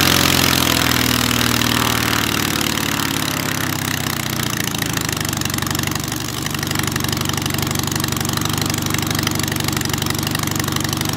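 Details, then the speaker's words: Hummel Engines 45 hp half-VW aero engine, first start, oil pressure too high, idle possibly set a little low: fast, even firing with a consistent beat, no stumbles or rattles; runs smooth, normal. "It sounds like it's running good, though. Yeah, it does. It sounds really smooth."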